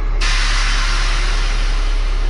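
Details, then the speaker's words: Grab truck after repair of the lift axle (axle solenoid) that had caused an overload fine: strong, steady rush of air as the second axle raises off the ground, no sputter or leak chatter; lift axle works normally. "오케이 자이 이렇게 올라가면은 이축이 됩니다 2축 자 지면에서 떨어진 거 보이시죠"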